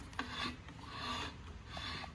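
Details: Lawn mower flywheel turned slowly by hand with the cover off: a quiet scraping rasp each turn, the ignition coil touching the flywheel with no air gap; it needs re-gapping.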